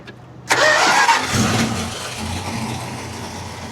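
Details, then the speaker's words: Old abandoned California car on a 1500-mile drive, right after replacing a fuel filter full of brown stuff: catches after brief crank and settles into a smooth, steady idle, no misses or stumbles; gauges look good; normal start and idle. "She likes that new fuel filter. The old one was full of brown stuff. Oh, she's running great now. Wow. Sounds good. Sounds good."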